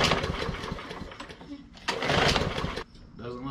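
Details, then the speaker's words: MTD Yard Machines mower with Briggs & Stratton E/EX-series engine and plastic carburetor: primed, repeated pull-cord rasps with brief coughs that never catch; crank no start, likely from a clogged carburetor. "so if you let your mower set over the winter with gas in it and you didn't drain it out the problem is more than likely you have a clogged carburetor"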